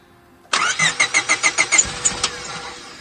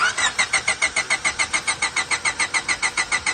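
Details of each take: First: 2000 Honda Civic EX D16Y8 with 410cc Denso injectors and a custom chipped ECU, injector wires fed directly into the stock harness: brisk cranking at about three beats a second, then it fires and settles. A clean, normal start. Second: Crank-no-start on a 2000 Honda Civic EX coupe, D16Y8 VTEC, 5-speed, after installing 410cc Denso injectors, 3-bar MAP sensor and chipped OBD1 ECU via adapter; starter cranks evenly for five seconds without catching, injectors not firing because injector plug connectors weren't making contact.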